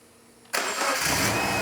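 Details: Subaru with a brand-new STI EJ20 short block, start after oil priming: silence, then the starter catches and the engine fires at once into a steady, smooth idle with no stumbling. Clean, healthy start.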